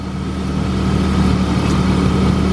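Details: 1995 BMW E36 325i sedan, 158,000 miles, warm idle with temperature gauge in the middle, before a test drive: steady, smooth, even firing with a constant low hum, no tapping or hunting. Normal warm idle.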